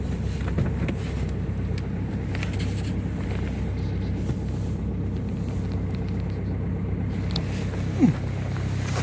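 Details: Ford Focus 2.0 TDCi diesel just after a hard cold start at -18 to -24 °C: low, steady rumble holding an even idle with no misses or knocks; a normal cold idle.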